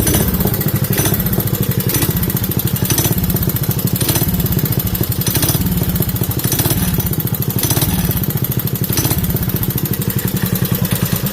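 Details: Craftsman 5 hp Briggs & Stratton single-cylinder minibike with CVT belt drive, reassembled with anti-seize, red grease and an overly soft spring removed: it pulls evenly with a steady beat and clean pulses; the belt drive sounds smooth and healthy.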